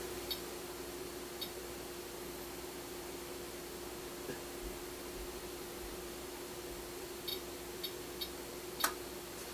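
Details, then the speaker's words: Amplifier test panel speaker-protection circuit, 4 V peak-to-peak test signal with DC offset raised past 400 mV: steady tone, then one sharp click as the relay trips and drops the speakers at about 500–600 mV offset. "you can see that the light comes on and you hear the relay click out. So around 500, 600 millivolt."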